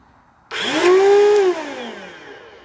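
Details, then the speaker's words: Bissell Cleanview Helix 82H1 vacuum run with a clogged filter: the motor starts with a loud, harsh screech that rises in pitch, then winds down after a second; one of the worst-sounding motors, from a failed unit. "oh oh can you hear that screeching oh wow sorry if I uh blew your ears out but uh people should know how loud some of these videos could actually get so that's one of the worst sounding Motors"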